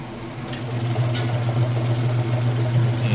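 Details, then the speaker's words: Whirlpool Super Capacity Plus direct-drive top-load washer, three-speed motor, final spin: steady low motor hum with pitch climbing as basket speeds up, nothing scraping or knocking; normal spin. "it does go a little bit faster as the clothes get lighter and lighter the more water it extracts but as you can see it's getting started I'll close this so you can see nice smooth operation sounds great"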